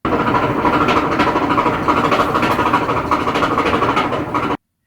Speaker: yeah it's pretty loud right it's this clunky sound that's been happening to my dryer so I'm thinking what could be the problem